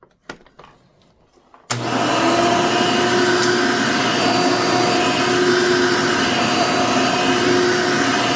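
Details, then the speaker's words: Genuine Hoover vacuum, reasonably cared for, 99.9% microfiltration: motor kicks on, steady even high whir, constant tone, no rattle or labouring; healthy, needs only cleaning and a belt, likely stretched, struggled with small paper bits. "seems like other than a little bit of a cleaning and a belt it seems like that's all it needs"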